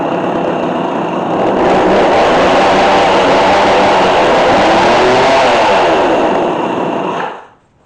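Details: McCulloch Mac3216 32cc chainsaw with 16-inch bar, during repair, just started after choke. It screams at high revs with a ragged, wavering two-stroke note, then cuts out; it runs, but the carburetor still needs tuning.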